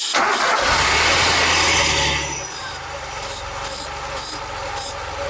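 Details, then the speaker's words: 1981 DeLorean, 4,690 miles, sitting since 1997, fuel poured down and carb spray in the intake: about two seconds of cranking after earlier coughs, then catches into a steady lumpy idle with ticking on top, revved; sounds fantastic. "Listen to that. See if I can rev it up a little bit. This thing sounds fantastic."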